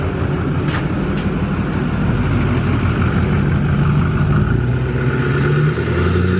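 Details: Duramax LML diesel with a fresh long block, held at a constant 2,000 rpm outside for a 5-minute break-in: steady, even drone with no knocks or misses, and it sounds healthy. Normal running at fast idle.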